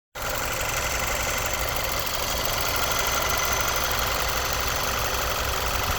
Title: Audi A4 B8 Steuerkette / Motorgeräusch